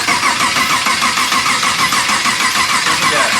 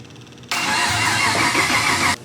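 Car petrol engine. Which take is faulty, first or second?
first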